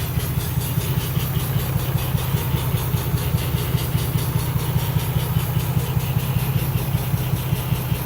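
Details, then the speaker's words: Lexus IS300 idling after the engine bay was washed: steady low drone with an even pulsing throb; owner hears a weird noise from both intake and exhaust, cause unknown. "making a weird noise in the intake. Then my exhaust is making a weird noise too."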